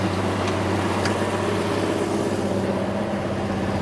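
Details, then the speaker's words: Plymouth Duster race car, new V8 run without throttle cable: steady fast idle around 2,000–2,100 rpm, 60 psi oil pressure, smooth with no knocks or ticks, timing still needs tuning; normal running. "There we go. Sounds awesome. We ramp up the RPM."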